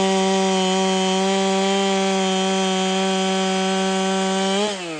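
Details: Ported Holtzfforma 395 chainsaw, very quiet: high steady scream in the cut with faint airy muffler hiss, then revs drop; owner suspects muffler isn't flowing enough.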